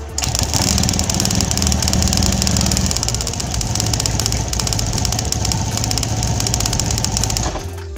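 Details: Honda Scoopy injection scooter during an ignition coil test with a spark gap of about 1 cm: engine fires and holds a steady, even fast idle, so the coil is sparking properly.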